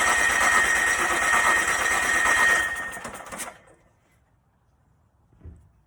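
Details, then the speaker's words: Onan 2.8K generator cranks steadily at about three turns a second on choke, with brief catches but never runs. It has a standalone battery, fuel feeding the electric pump and starting fluid sprayed in; compression is 110 psi and the valves open and close. "so as you can see it cranks it tries to turn on but it really doesn't run at all"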